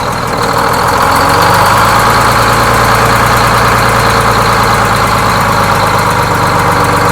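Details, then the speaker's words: Freshly inframe-rebuilt Detroit Diesel 6-71N bus engine on initial break-in, idle kicked up slightly but kept under 1000 rpm, while fuel jumpers are checked for leaks, which look good: smooth, even deep drone with no knocks or misses. Normal idle. "I kicked the idol up just a little bit can't go over a thousand rpm here and I can't run it for more than ten minutes as part of the initial break-in procedure"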